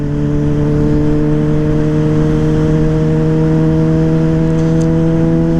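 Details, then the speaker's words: 2009 Yamaha Fazer 600 with WR exhaust tip, warm after riding: steady, even hum idling noticeably fast, no knocks or misses; high idle, owner suspects the recently changed air filter may be badly seated. "mas eu tô sentindo ela é diferente mesmo olha como ela tá acelerada ela não é assim"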